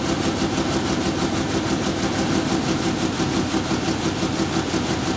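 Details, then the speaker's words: 1997 Ford Ranger first start after work; rough uneven idle with irregular stumble about three times a second, misfiring because the spark plug leads are out of firing order. "it a slight rev yeah yeah yeah shut it down yeah it's firing out of order"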